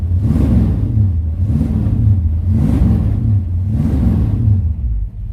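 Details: Shelby GT500-style Mustang V8 just after cold start following a week sitting; deep rumble blipped about once a second, revs rising and falling evenly, no knock or miss, no smoke; normal idle, only water pump bearing noise noted.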